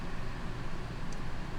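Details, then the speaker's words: Two rooftop AC units in a 41 ft Grand Design Momentum fifth wheel, both on low, powered by an EcoFlow Delta Pro 3600 W inverter, drawing about 2,400 W; low, steady rushing hum with even fan roar, no rattles or surging. Normal running. "I'll put on this AC unit just to show you that it should be able to run both again I always run low I run both on low just in case to not trip it"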